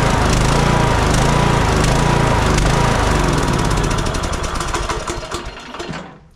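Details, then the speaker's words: Troy-Bilt Bronco 42" riding mower, Kohler Courage 19, aftermarket carburetor fitted, fuel drained: runs rough and surging, then sags and dies within seconds with the choke fully off; an air-fuel mixture problem is suspected, not confirmed. "I take the choke all the way off it dies out completely"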